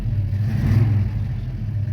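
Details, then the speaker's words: 1971 Plymouth Roadrunner 383 V8 with pistol-grip 4-speed, in cold winter weather, gently revved to avoid overworking it cold: a deep, even V8 rumble swells and settles smoothly with no clatter or misfire. Owner says it runs well; the only known fault is a brake leak. "Don't want to over rev it or get it too worked up in the cold here, but it sounds good, it runs good, it moves good."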